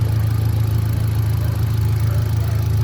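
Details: 2018 Hyundai Accent gasoline engine, a cranking no-start fixed by swapping relays in the fuse box: smooth, even low idle with a steady fan whir behind it, no stumbles; engine runs normally.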